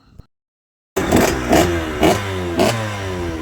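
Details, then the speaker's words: 2005 KTM SX85 two-stroke after a full engine rebuild and a new exhaust gasket that fixed an earlier problem. Several crisp, quick blips rise and fall cleanly with no puffing; it sounds much better and healthy. "Sounds much better."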